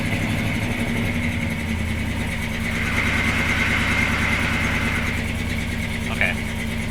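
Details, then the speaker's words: 1976 C30 dually 454 with newly installed Holley Sniper EFI, target AFR 11.5: ragged uneven lope with slight stumbles, not settling and shutting itself off; running very lean. "we go it's very lean right now so it's gonna rich enough"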